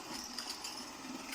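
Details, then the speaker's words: Robot vacuum that runs briefly then errors: a thin high squeak comes and goes over the whir from the side brush drive, which is rusty, damp inside and binding; the fan motor doesn't start. "мы можем слышать привод боковой щётки Да и мотор вентилятора не запустился"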